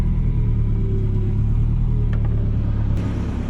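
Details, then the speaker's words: Nissan 240SX (S14) power steering pump, due for a seal-kit rebuild, at idle: low engine rumble with a thin steady whine on top; pump whining, steering assist weak unless revved. "so I'll start the car so you guys could see pumps just making a whining noise it's really [ __ ] it away and usually it doesn't work unless I rev the engine up so let's see if you guys could hear it"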